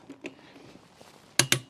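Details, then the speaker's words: Torque wrench tightening the spare-wheel nuts on a Nissan Primera P12: two sharp metallic clicks in quick succession as the wrench breaks over at its set torque. "so the torque wrench is going to make a loud obvious click when the nuts are tight enough but not too tight not yet still not yet there it was hear that"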